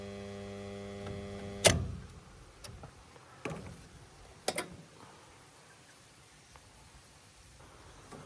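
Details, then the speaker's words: L&T 3-phase starter on a 10 HP motor gives a steady electrical hum after being cleaned earlier, stopping abruptly with a clack when the contactor is lifted; contacts to be cleaned. "आणि त्यानंतर आता हा starter थोडा आवाज मारतोय इथे पाहू शकता मी वरती उचलल्यानंतर याचा आवाज पूर्णपणे बंद होतोय"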